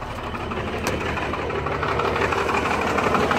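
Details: Rebuilt Cummins 12-valve diesel, bored .040 over, timing about 16 degrees, injection pump replaced about 20k ago, idling unevenly with a recurring miss; it worsens after a few miles or revving until it dies, despite new lift pump, filters and governor springs.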